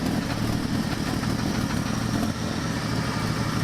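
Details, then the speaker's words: 1984 Dodge Ram D100 slant six at steady idle; faint quick tick on each firing pulse from an exhaust manifold leak at a broken stud, not an internal rod knock; engine judged good. "broken exhaust stud I knew about that exhaust is sitting there tapping that's actually what it is"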